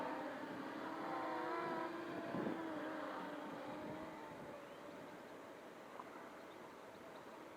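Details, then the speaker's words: XK X252 quadcopter with 5-inch props left unbalanced, hovering in 6G self-level mode. Steady high motor buzz with a faint wavering roughness; some vibration, source unclear, possibly unbalanced props. "There's definitely a little something that sounds vibration-y. Vibration-y. I don't know whether that's unbalanced props or something else."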